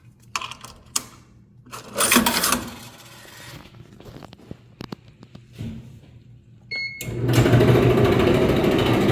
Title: Whirlpool Dryer Making Loud Grinding Noises #rollerkitreplacement